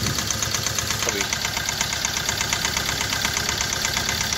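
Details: Hyundai i20 engine at idle: steady idle with a sharp, even tapping at about three per second; the car also has heavy black smoke and low pickup; fuel injector problem suspected, not confirmed.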